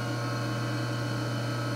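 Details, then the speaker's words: Clausing 5913 lathe variable speed drive, partly disassembled: steady low hum with a constant fine vibration felt in the floor; owner notes a wobbling shaft. Unconfirmed. "so let's turn it on well you know there's a hum it's a real fine vibration you can actually feel it in"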